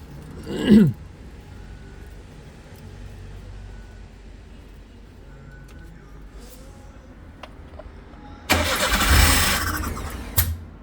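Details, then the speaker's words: Daewoo Labo/Damas truck, apparently long left unrepaired, hard to start: cranking ends in a sharp pop, then a second rough burst that dies; won't keep running, code manifold absolute pressure circuit low, cause undiagnosed. "이게 지금 노크가 나요. 펑 하고 다시 한번. 그냥 꺼지고요."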